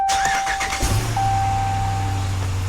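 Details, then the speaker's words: 2018 Ram 2500 6.4 Hemi after an oil change, first start after cranking with the throttle floored to build oil pressure: a brief crank catches quickly and settles into a smooth, steady low idle with no ticking or knocking, a healthy start. "no knocking no nothing like that so just a little tip you can hold her to the floor it won't crank and uh that way you don't get a dry start after your oil change"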